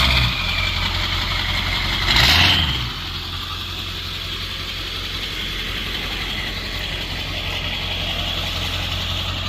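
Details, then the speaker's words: Ford F-250 7.3 Powerstroke diesel that had been running badly on low oil: steady, even low idle clatter, settling smoothly after a brief rev while maneuvering to a trailer; no misses or knocks, healthy. "That thing was sounding good. Rolling some cold too for the first time I've seen."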